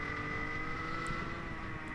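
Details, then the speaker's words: Rotax Senior two-stroke kart engine in wet race: flat high-revving drone that never climbs, one pitch with ragged edge; huge misfiring and no power, initially suspected not up to temperature; cause unconfirmed. "yeah the engine just has um huge misfiring and yeah for me this was quite a yeah quite a difficult sit sitation cuz I um am normally quite fast in the wet or I like the wet"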